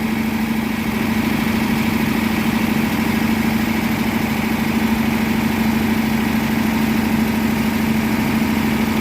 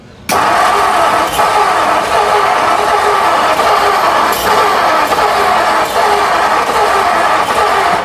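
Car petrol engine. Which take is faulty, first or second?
second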